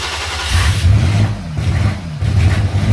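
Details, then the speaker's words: C3 Corvette with an Olds-style V6 diesel, fed from a gas can, after fixing the fuel pump and adjusting the injection pump advance. A low, lumpy diesel clatter rises and dips slightly with throttle, steady and unbroken. It is running normally. "fuel pump is working so we fixed that problem"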